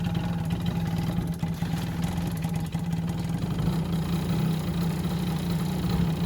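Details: Yamaha Jog scooter that wouldn't start after winter: even, steady two-stroke buzz with no misses or knocks, holding constant speed; clean, healthy idle.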